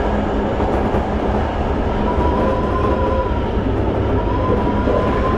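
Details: Toei 5300 series set 5315, Mitsubishi GTO-VVVF, on Keikyu line rapid limited express (Misakiguchi–Kanazawa-bunko), in-car recording: steady tone near 1 kHz over wheel and rail rumble while running, abnormal traction inverter noise.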